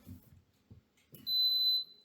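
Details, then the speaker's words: Germanica portable induction cooker being switched on: a few handling thumps, then one loud, clear high-pitched beep about half a second long; normal power-on signal. "it beeps really loudly if you're hung over I'm slightly hung over"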